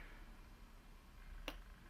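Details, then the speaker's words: Mazda 626 lock/unlock key fob: the lock button gives two crisp clicks but unlock gives none because its tactile switch has come off its PCB pads from hard pressing; fix is a replacement tactile switch. "near that click it there's no click from that what would happen is the driver would lock no problem but will be pressing harder and harder"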